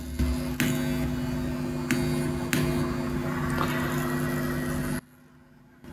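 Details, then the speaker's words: Turntable output: steady low buzzing hum with sharp clicks from a floating ground wire acting as parasitic capacitor into phono outputs, dropping to near silence once wire is connected to amplifier ground. "an obvious solution is to connect this wire to somewhere to stop it from floating and picking up noise"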